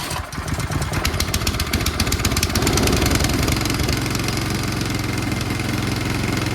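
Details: Powermore engine on a Yard Machines snow blower, first start after refresh, empty carburetor, extra primer pumps, choke on, slight throttle, pull start: a few uneven pulls catch, then a steady even putter with no knocks or misses.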